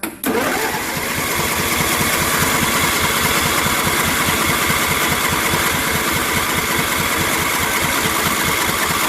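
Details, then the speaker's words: John Deere LA150 twin-cylinder lawn tractor nearing 300 hours, cold, first run with new fuel filter, plugs and oil after a fuel-starved no-start: brief crank, then catches into a fast, slightly uneven idle, not quite right yet. Engine catching after cranking. "so this will be the first time it's run with new fuel filter uh plugs and oil it's being tricky for some reason"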